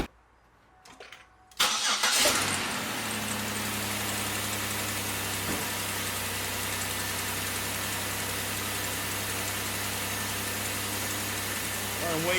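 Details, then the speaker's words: 2004–2008 Pontiac Grand Prix 3.8 after ignition module replacement, with coil wires reconnected in order: cranks, fires right up and settles into a steady, even idle with no stumble or miss; all cylinders firing, normal idle. "Fires right up."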